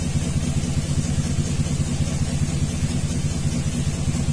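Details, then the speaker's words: 2000 Chevrolet 2500 6.0L with P0300, P0171, P0174 codes, bank 2 oxygen sensor disconnected, open loop after fuel trim reset: low idle with steady lopey miss on cylinder 2 from a carbon-fouled spark plug; EGR tube vacuum leak also found. "now it's showing consistent misfires on number two"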